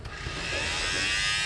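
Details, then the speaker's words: 2006 Mercedes with secondary air injection fault codes on both banks (combi valves hold vacuum; power and ground OK), during a scan-tool output test: the air pump starts late with a high buzzing whine, quits, then restarts noisily. It probably has a dead spot on the commutator; bad pump. "There you go, bad pump. Oh, it just quit. There it goes again. Nice and noisy, and it probably has a dead spot on the commutator bars."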